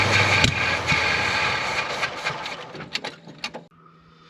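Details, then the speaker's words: '68 Oldsmobile, choke apparently working: rough uneven run about three seconds that sags and dies, won't keep running; cause unconfirmed. "Sound like she's running on her own there. >> Almost. Huh. She was close."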